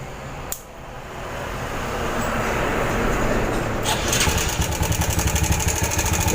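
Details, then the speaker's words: Yamaha Jupiter Z small single-cylinder motorcycle at idle; fast uneven clattering about four per second from a slack timing (cam) chain slapping; loose timing chain rattle before chain replacement. "seperti ini mas bro suaranya ya oke mas bro ya Semoga aja ini bisa terdengar jadi ya seperti inilah suara raneng jika sudah mengalami kendur pada motor Jupiter Jet atau yang sejenisnya seperti sekali lagi PK dan Krypton"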